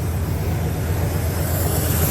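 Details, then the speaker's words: Classic Chevy C10 truck that died at night from a fuel pump relay failure, running after the wiring was cleaned up, holding fuel pressure with no leak. A low, even rumble with no misses, knocks or stumbles. Normal idle. "It's running."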